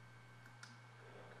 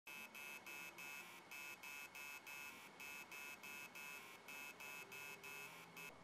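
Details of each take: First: Hard drive that beeped/buzzed from heads stuck to platters, after unsticking the heads and refitting the cover: steady low motor hum with soft head ticks as it spins up and runs normally. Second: Hard drive powered on, rapid shrill buzzing beeps about three a second from the spindle motor; heads are stuck to the platters (stiction) and stop the platters from spinning up.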